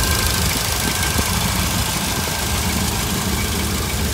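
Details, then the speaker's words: 1966 Cadillac V8 with a Holley Sniper fuel-injected throttle body, IAC unplugged: a low, even, rock-solid idle with no rise and fall. "perfect perfect rock-solid idol"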